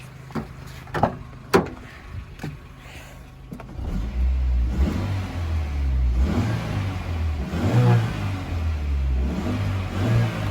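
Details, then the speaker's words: Normal revving of a 1997 Suzuki X90 engine: idle rises into a few quick throttle blips, revs rising and falling cleanly with no knocks or misses; smooth, healthy engine. "Let's just give it a couple of revs."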